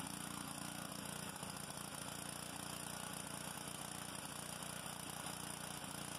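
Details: Honda GCV190 pressure washer engine after carburetor cleaning and new homemade gaskets, previously a no-start: steady, even speed with no misses or surging; runs healthy and settled.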